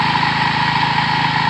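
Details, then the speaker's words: About 1973 Wheel Horse tractor with 10 hp Kohler single, after sitting about three years. Steady, even single-cylinder idle with a smooth low thrum and no misses or knocks, running fine. "really good they'd have to clean the carburetor again we fired it up and it's running good charge the battery"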